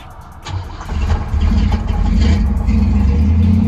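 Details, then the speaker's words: Old car restarted after a leaking fuel line was cut and replaced to get home: brief crank, then catches and settles into a steady, even low idle with no misses or knocks; normal start and idle. "there we go just alive again"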